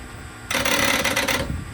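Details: 1970 GMC Astro semi, 6-71 Detroit Diesel sat 30 years: about one second of rapid rattling clicks at the starter solenoid with no cranking; chattering on 12 volts when the starter needs 24 volts from two batteries in series.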